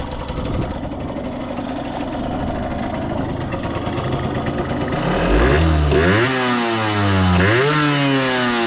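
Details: 1989 Yamaha YSR50 50cc two-stroke, 198 original miles, restored, first starts on premix racing oil plus working oil injection: crisp popping idle climbing cleanly through a couple of blips and settling back; revs freely, healthy.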